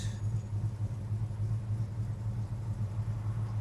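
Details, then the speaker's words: 1969 Dodge Charger R/T, 440 ci four-barrel V8, four-speed manual, fully restored, 27 miles since restoration; cold start after a throttle pump, purrs to life into a smooth, even low rumble with a slightly high cold idle, no misses. "give it a pump on the throttle crank it over purs right to life little high idle which is"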